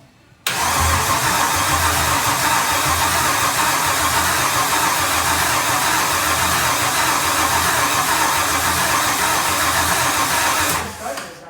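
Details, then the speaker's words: Solstice with swapped Gen V L83 5.3L V8, E92 PCM, PSI harness, pedal pumped while cranking: steady cranking about three and a half turns a second, never fires; fuel rail pressure present, ignition codes; no ignition, later fixed by deleting codes in HP Tuners. "So you can see, you can hear it. It's turning over good, but it just doesn't sound like it's really getting any ignition."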